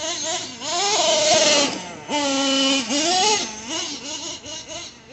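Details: Traxxas nitro RC engine restarted after a hot run, shut off by pinching the fuel line: blips up and settles back to a steady even idle without stumbling or bogging; healthy mellow idle.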